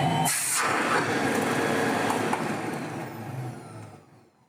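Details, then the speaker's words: 1970s Electrolux Z302 vacuum after restoration, with new RF suppressors and refitted carbon brushes bedding in: smooth, even motor whirr with no grinding or rattle, fading as it spins down; motor sounds healthy, like new. "Beautiful. Sounds like new, runs like new, even has that old Electrolux smell as the carbon brushes bed themselves back in after we had them off."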